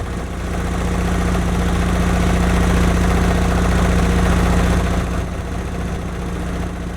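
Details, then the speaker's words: 1991 Honda Prelude Si after new NGK spark plug wires and plugs: low idle pulsing about 220 times a minute, lumpy uneven beat sagging toward the end, surging and shaking; misfire at idle persists. "Nope, I think still misfiring. Nope, idle surge. This is how low it idles. A rough idle, shaking very."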